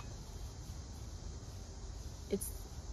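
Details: NOCO Boost Plus GB40 jump starter connected to a motorcycle with a completely dead, zero-voltage battery: sharp repeated relay clicks over a quiet hum because it cannot detect the battery's voltage, so no power flows and no jump start is possible.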